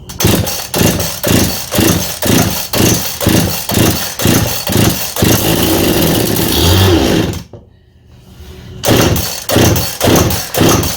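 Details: Husqvarna 51 two-stroke chainsaw, fitted with an aftermarket big-bore cylinder and piston (meant for the 55) giving high compression, after a carburetor clean-out for a no-start from stale fuel left sitting; it revs up and drops back about twice a second, crisp and even, with clean throttle response; running properly.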